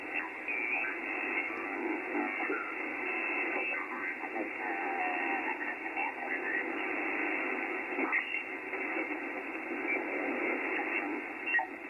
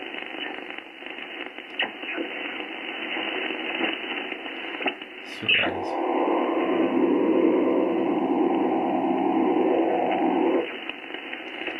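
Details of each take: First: HF receiver on 80 meters with a non-resonant antenna, no preamp and no attenuation, earthing removed: steady, soft band-limited hiss with no crackle, buzz or pulsing; a relatively quiet, clean band background. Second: HF receiver in a shack with all earthing removed and disconnected, on 20 meters: steady hiss and buzzing crackle with a pulsing rasp; RF interference noise, source unknown.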